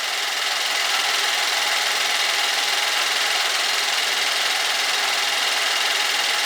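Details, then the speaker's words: 2014 Buick Enclave, 185K miles, first start after water pump replacement for coolant leak: smooth even idle with steady hiss, no knocking or ticking; sounds good, no hose leaks. "sounds good no leaks for any of the hoses I had"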